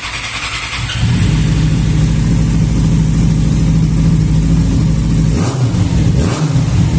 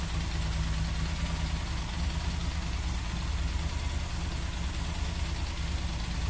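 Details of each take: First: Motorcycle that would not hold a proper idle (idle stayed high), after damaged hoses were replaced: engine catches and settles to a steady, even low thrum with no hunting or surging; idle now normal. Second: Yamaha XJ6 idling too high at about 4000 rpm: even, fast idle that won't settle; a hole found in the small vacuum hose lets in false air, raising idle.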